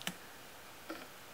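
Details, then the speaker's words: Idle air control stepper (4-wire IAC on a Megasquirt build) commanded in Tuner Studio idle valve test past 100 toward 200 steps; two crisp clean ticks, no grinding; valve looks closed at 200 but still passes a little air; normal stepper operation. "there's uh 200 steps and it looks closed from the angle I've got but there's actually a little bit of air in there still"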